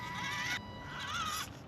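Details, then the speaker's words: Axial UTB18 4WS RC truck with its stock brushed ESC at low throttle: a thin whine rises as the ESC engages, then the truck jumps, giving poor low-speed control; an aftermarket ESC is suggested. "This is where the ESC, you can hear it engage, get that whine, and then you get the jump."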